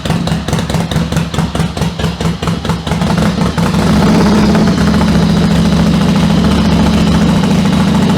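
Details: 1996 Yamaha XV750 Virago bobber with a single-carb conversion, cold start on the choke levers: uneven chuffing pulses settle after a few seconds into a smooth, steady idle. Normal cold start warming up.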